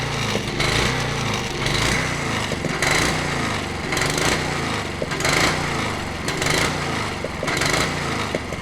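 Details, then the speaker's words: Honda HRH 536 HXE professional mower, carb cleaned, running on choke; uneven engine with a loud metallic clanking repeating under a second apart, from the blade clutch area when engaged; owner suspects the blade clutch, not the connecting rod, unconfirmed. "un carbu à nettoyé mais bon que là tourne au starter et ça fait un gros bruit métallique au niveau de l'embrayage quand j'active là est au starter"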